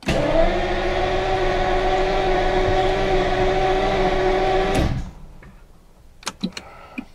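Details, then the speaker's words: Classic car with Lucas electrics cranks steadily at about four beats a second for five seconds without firing; injectors not heard from inside the car but heard ticking through the window, slight fuel smell. Crank no start, cause unconfirmed. "really doesn't sound like the injectors are firing. So if I go like this and I push the pedal, I should hear a couple injectors."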